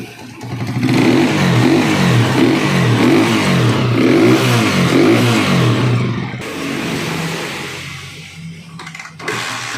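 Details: Honda TMX155 single-cylinder, hard to start after rain, after carburetor cleaning, idle screw lowered, mixture screw at 3 turns: blips up and drops back cleanly about every second, crisp and even with no misfire. Normal, well-tuned revving.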